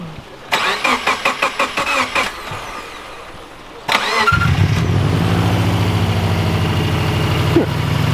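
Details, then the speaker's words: JDM right-hand-drive Subaru WRX/STI, first startup right after installing eBay headers and refitting the downpipe: several uneven starter chugs, a pause, then a second crank catches into a steady, even, throbbing idle; sounds good, normal start. "Ready. Started it up, everything sounds good. Went ahead and shut it off."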